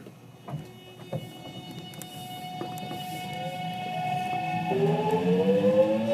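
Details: JR West 207 series 1000 T17, recorded aboard KuMoHa 207-1037 (Toshiba GTO inverter), Tokuan–Kōnoike-shinden, iPhone 5s, pulling away: stacked whining tones climb and clash into an odd chord, as the Nishi-Akashi/Shin-Sanda-side inverter modulation is out of step with the Kyoto/Kizu side.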